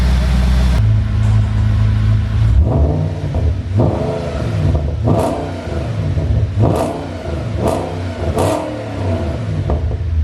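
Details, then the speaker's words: Audi B7 RS4 supercharged after oil cooler leak repair, oil top-up and belt refit: catches after short crank, clean sharp throttle blips rising and falling evenly, no knocks or rattles; no leaks after 15-minute run; normal start and revving. "I'm sorry, but that sounds insane."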